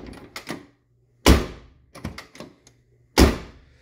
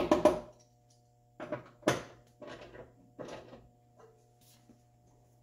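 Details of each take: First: 1979 Lincoln collector series door after replacing the striker bolt with a NAPA part: two solid shuts, each with light latch clicks and a clean single catch; latch engaging properly. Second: 1979 Lincoln collector series door with new striker bolt: three hard, heavy slams; the latch catches only with force because the new bushing is still tight, expected to wear in.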